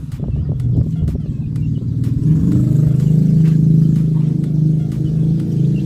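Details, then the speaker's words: Sanken HWD-Z88 water dispenser, bottom-gallon water pump tested after the door switch checked good; lowering the magnetic level-sensor float triggers the pump: low, steady hum that builds and holds, a few light clicks early; pump runs normally. "Jika pelampung ini kita arahkan ke bawah harusnya untuk water pump-nya berbunyi ya. Sekarang kita coba bagaimana ada bunyi apa enggak."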